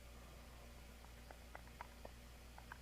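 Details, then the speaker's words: Removed shock absorber worked by hand: faint irregular clunks with each push and pull; shaft knocks in its worn long DU bearing (bore 0.8785 in vs shaft 0.8700 in). "can hear it knocking right so that bearings really long"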